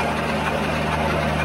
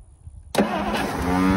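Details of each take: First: 1963 Studebaker Lark Wagonaire parked 39 years: steady, even whir of the starter turning the engine over with no grinding or clicking; normal starter cranking, starter sounds great. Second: 1963 Studebaker Lark Wagonaire parked 39 years, solenoid connection was burnt and corroded and just cleaned: starter whirs hard about a second then spins down without turning the engine; faulty starter drive.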